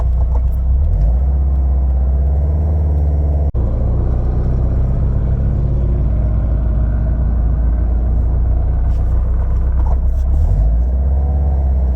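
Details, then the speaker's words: 2007 Subaru STI with Cobb short shifter, test drive after trimming so the shifter clears in first gear: deep steady engine and drivetrain rumble under acceleration, the earlier high-RPM rattle gone. "I don't have a tripod but we're gonna do a quick test drive so you guys can hear that you don't you don't hear that noise no more"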